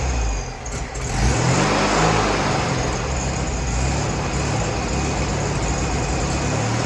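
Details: Freshly rebuilt VW 1641cc dual-port air-cooled flat-four on the floor, first start: revs rise smoothly then settle to an even run, no ticks, taps, knocks or smoke; new pistons, rings, reconditioned head, redone carburetor; fuel pump found bad.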